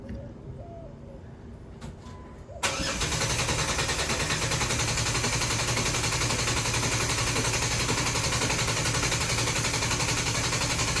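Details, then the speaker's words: Jeep cranked 10 seconds without starting, DIY pulse sensor sitting on the ground at the tailpipe; even, steady cranking at about three to four turns a second, no uneven beats, no weak cylinder indicated. "So we're gonna go ahead and crank now for 10 seconds. Go ahead, Ronnie, start cranking."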